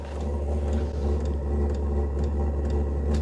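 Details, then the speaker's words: VEVOR diesel heater start-up: clicking then steady low combustion fan hum ramping up, quieter once running, outlet around 91-93 degrees and climbing; normal start. "It does get quieter once it gets going, but it kind of hums a little bit as it's starting off."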